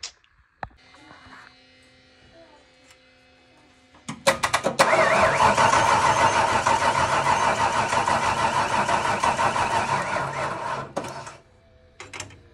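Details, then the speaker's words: Foxbody Mustang 302 V8 with B303 cam, unstarted about 3 years: cranks and catches into a lumpy, stumbling idle, running on 7 cylinders with one spark plug wire removed and four vacuum caps off causing vacuum leaks. "Well, she still lives. I realize there are 4 vacuum caps off of it, so that's why it's not running that great right now."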